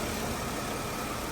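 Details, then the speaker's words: 2003 Mercedes-Benz E320, brought in after a check engine light for a misfire with no stored code, restarted after battery reconnect (ABS light on): smooth, steady idle with no stumble, firing evenly; normal idle. "That's running nice and smooth."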